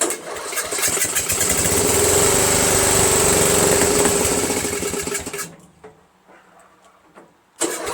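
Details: Murray Select 13.5 hp Briggs flathead riding mower, stripped head bolt repaired and valves ground, started after sitting overnight by jumping solenoid: runs roughly about five seconds, dies, barely catches again; runs worse than previous day.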